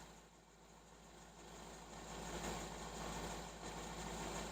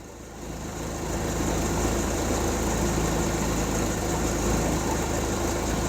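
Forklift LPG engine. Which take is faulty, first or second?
second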